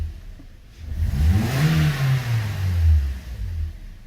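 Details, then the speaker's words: 2013 Toyota Corolla 1.8 16V flex with CNG, after refitting the alternator with a new pulley: engine revs up and settles smoothly with no belt squeal or chirp, fixing the complaint of noise when accelerating. "alternador no lugar com veículo funcionando poia nova nov marcha lenta barulho nenhum"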